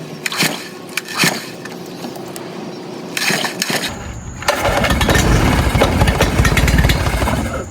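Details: Outboard on a newly bought used Gheenoe, pull start, after hitting the kill switch: a few pulls, then it catches into a steady buzzing run with even firing; the kill switch not pulled out far enough was the cause, not wiring.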